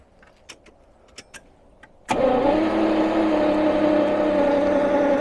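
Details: 1977 Jaguar XJ12 that died after a loud boom on a drive, battery recharged after running flat: a few faint clicks, then steady cranking about four beats a second but never fires; crank no-start, spark being checked, distributor suspected.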